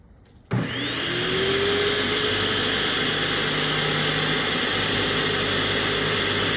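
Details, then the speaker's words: Graco airless paint sprayer, about 9–10 years old, after disassembling and cleaning parts, primer switch open: motor starts and settles into a steady even hum with smooth pumping rhythm, no stalling; priming and pumping normally. "Oh, would you look at that? I fixed it. That was pretty easy."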